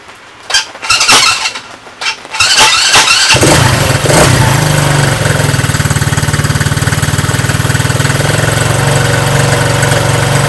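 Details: Coleman Scrambler 125 Chinese ATV, previously a no-start despite having spark, after a new carburetor, new battery and draining the old gas: a few cranks, then a quick, steady single-cylinder putter; it starts and runs fine.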